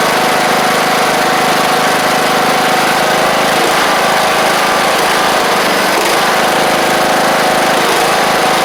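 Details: John Deere LA100 mower, 5-speed transaxle, long-sitting, hard starting from valve issues, now running: small single-cylinder engine holds even buzzy idle, no misses or rattles; owner suspects spark plug has failed and expects improvement with run time.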